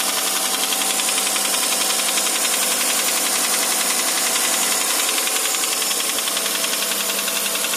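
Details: 2008 Hyundai Santa Fe 2.7, idling: regular light knocking about four times a second, steady and even over a thin engine hum; engine knock present, source not pinned down.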